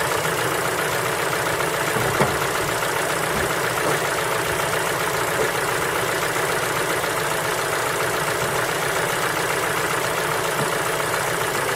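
Cold engine idles with a rapid, fairly uneven tapping of roughly three to four knocks a second over a steady hum; cause undetermined.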